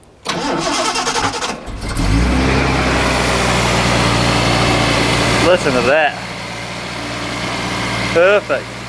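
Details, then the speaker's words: Datsun 280ZX after brake work and fresh fuel added to a nearly empty tank: brief cranking, then catches and settles into a smooth, even idle with no misses or knocks; healthy normal idle. "let's see she's keen to run"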